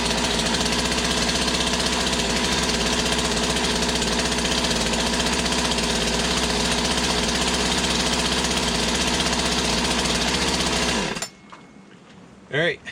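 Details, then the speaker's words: Poulan 2150 two-stroke chainsaw after carburetor swap, new cylinder and piston fitted, idling on first warm-up heat cycle: steady, even burble with no hunting or stumbling until switched off; healthy idle. "seems like it's got a good idle so that's a new cylinder new piston put on"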